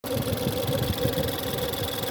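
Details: Ford 1.6 EcoBoost just after cold start: rough low idle with steady mid-pitched howling/whining over it; source of whine unconfirmed.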